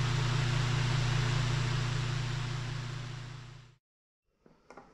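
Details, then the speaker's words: Mr. Heater Big Maxx 50,000 BTU garage heater blower motor, about a year old, bench-tested after noisy failure: smooth steady low hum, no rattle or scrape, winds down quietly; sounds as it should, old motor's shaft appears damaged at fan. "all right Let's test this real quick okay so so this motor does not appear to be making any noise"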